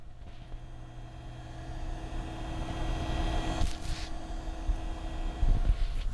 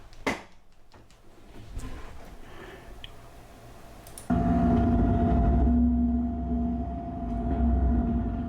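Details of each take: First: PC noise hunt, microphone held up to the water-cooling block/pump with two fans switched off: soft steady hum with faint tones and handling rumble; the pump runs smoothly and is not the noise source. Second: Desktop PC noise isolated to a GTX 560 graphics card: quiet clicks, then a steady mid-pitched tone over a constant low hum.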